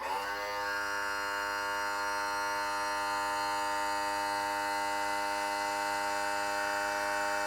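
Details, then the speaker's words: 1991 Johnson 50 hp outboard, hydraulic power trim/tilt tested while low on fluid before refilling; steady, even electric buzz from the trim motor running without stalls or strain; trim works. "all right so yeah it's working at least i'm gonna go ahead and fill it real quick and we'll test it"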